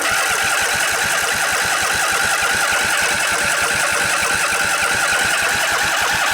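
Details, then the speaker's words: Briggs and Stratton Intek twin-cylinder 20-25 hp engine, junkyard revival, started with a little choke after the fuel pump filled the float bowl: brisk, even popping settling into a steady run with no stumbles; normal running. "Give it a little choke. It's got to fill up the float bowl, remember, so it'll take a little while."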